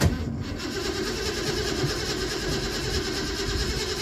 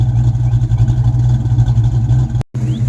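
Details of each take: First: Ford Mustang with the original Dura Spark ignition box fitted: the starter churns for about six seconds and the engine never catches, with no spark; a newer Dura Spark box then made it start. Crank no start from failed ignition box. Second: Ford Mustang V8 project car after alternator harness replaced with basic wiring and battery and grounds redone, started with two pumps: deep steady burble at idle, even beat, no knocks; starting no better, not charging.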